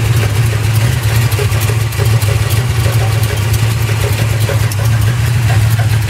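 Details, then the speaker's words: 1986 Chevy K20 with a 360 (010 block, .060 over) from a '68 Camaro, idling at 60 psi oil and 160°F water. Intermittent scraping clunk despite good bearings and a new cam, lifters, oil pump and converter. Owner suspects flexplate or crank dragging on pan. "And it comes and goes. It doesn't stay the whole time. So that's what really bugs me out. Like right now, it's really pronounced."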